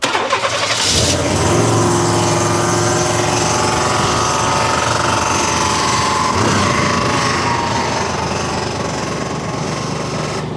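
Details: 1992 Chevy 1500 pickup, engine started and idling: light, irregular metallic rattle over the steady idle, heard driving as loose metal under the car; flywheel cracked around the bolts suspected, transmission to be removed.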